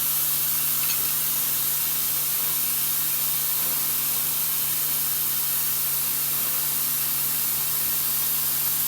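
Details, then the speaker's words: MCI MC5 bus with newly plumbed nylon DOT air lines, after rebuild, while trying to release the parking brake: constant high airy hiss from a large air leak in the brake air system, location still unclear. "hold on do you want me to pull it back up or just leave it leaking just leave it for that leave it until we stay is it the clam shells that's not where the big leak"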